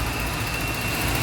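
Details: Honda City 2009 that shook and stumbled from shorted spark plug leads; spark plugs and plug leads were replaced. Afterwards there is a steady, even idle with a smooth low hum and a faint constant high tone. No stumble or shake, so the engine now runs cleanly and normally.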